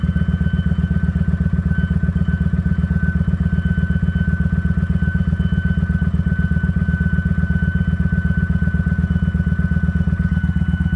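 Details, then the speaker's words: Kawasaki Vulcan 900 V-twin at idle with a thin, steady high-pitched whine over it; the fuel pump filter is suspected to be clogging again, and the dirty fuel tank is blamed for the repeated fuel pump problem. "this thing making that noise again it's got that noise to it again I heard it"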